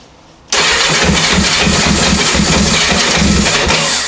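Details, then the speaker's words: 1984 Honda CB700SC four-cylinder, cold first start after fixing a no-spark fault, on half choke: fires unevenly in a lumpy patter that slowly steadies; carbs not leaking. "it's trying we'll do half choke carbs still are not leaking that's good"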